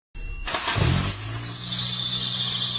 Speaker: high-pitched squeal when starting the car or at idle could be your timing belt sending warning signs.